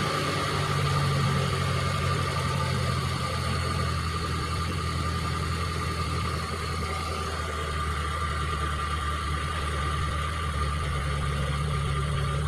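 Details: Injected T120SS after repair of fouling spark plugs, high fuel use and white exhaust smoke and an engine teardown, test run: smooth, even low idle holding steady with no knocks, ticks or stumbles; healthy.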